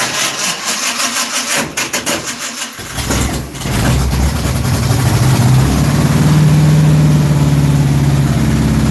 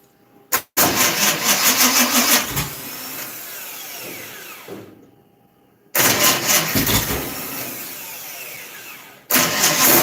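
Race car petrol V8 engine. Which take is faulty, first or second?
second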